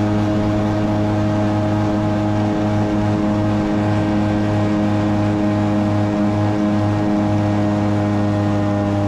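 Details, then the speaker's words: Jet ski revved on water immediately hits the rev limiter, stuttering at a pinned high drone; impeller cavitating, not pushing water, likely a worn jet pump wear ring or intake blockage, so it won't plane easily. "you can hear when I rev this thing out it immediately goes onto the rev limiter so it's it's not pumping or pushing the water like it's supposed to"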